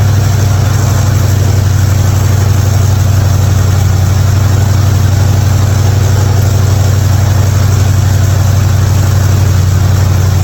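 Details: '55 Chevy hotrod V8 after a spark plug change for fouled plugs and popping: deep, steady, even idle with no pops or stumbles, firing cleanly.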